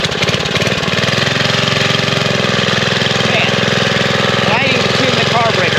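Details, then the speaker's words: Vintage Sears Roper mini bike, Tecumseh single-cylinder flathead, started on second pull: crisp, even firing rhythm with no misses or knocks, no smoke; healthy running. "It's one of the best running flatheads I've played with in a very long time. At least today it cranked up with the second pull."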